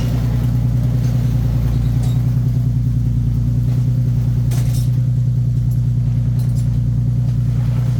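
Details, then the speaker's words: 2015 Nissan 370Z after front-end collision and frame repair, idling after its cold start: steady, even low idle with smooth regular pulse, no knocks or ticks; running good, healthy. "all right it's running good it is literally daytime"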